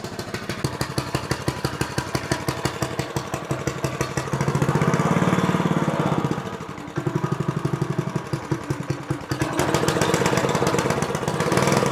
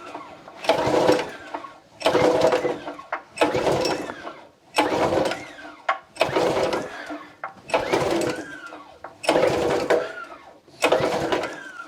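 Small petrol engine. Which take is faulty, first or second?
second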